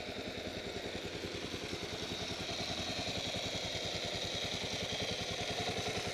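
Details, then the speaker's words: 2008 Kawasaki KLR 650 at idle just after an oil change to 20W-50 Kawasaki oil: steady thumping with a bright, even whir that sounds like ball bearings, heard at the left side case and not on the right. Cause unknown. "okay i'm gonna try to uh start this thing so you can hear this noise again it sounds like ball bearings"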